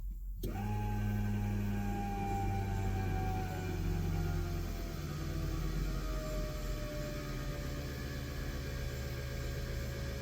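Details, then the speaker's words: Armin GTO on a Link ECU during output testing, fuel pump test function triggered: low steady hum with faint whine switches on and holds constant; fuel pump and injectors working, ignition outputs 2 and 3 failed. "fuel's being pumped you can hear it so fuel's working injectors are working just ignition"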